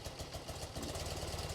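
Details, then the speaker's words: 1980-1996 BMW R-series boxer twin, carbureted, with the idle mixture screw turned fully seated: a low, lumpy idle with uneven thumps as that cylinder cuts out from a lean idle mixture, before the mixture screws are reset. "So you can see that this cylinder is like cutting out"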